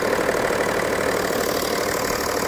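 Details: BMW M550d F10 diesel after coolant-leak repair (water flange): steady, even idle with a smooth hum, no knocks or misses; everything appears to work; normal idle.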